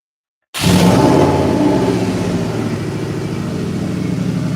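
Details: Subaru after oil change, on jack stands in neutral, oil pump primed first: engine catches cleanly and settles into a steady low rumble with even firing, no knocks or ticks; healthy start and idle.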